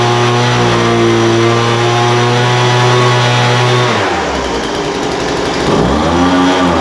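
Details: Poulan Pro 200 mph two-stroke leaf blower, received as a non-runner, after carburetor adjustment: idle mixture leaned out from too rich and top end tuned. High steady buzz drops to idle near four seconds, then picks back up cleanly without stumbling; running well.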